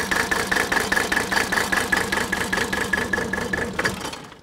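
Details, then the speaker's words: 1983 Mercedes 300D diesel, said by a mechanic to be dead, idling rough with an uneven clatter. Injector lines are cracked one at a time to find the misfiring cylinder; no change in sound marks the dead one. "the quickest way to do that on these old diesels is to start the engine up and I'm gonna crack one fuel injector line at a time while the engines idling and if there's no change and sound that I know that particular cylinder is misfiring"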